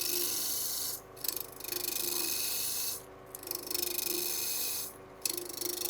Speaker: You can hear that knot right there.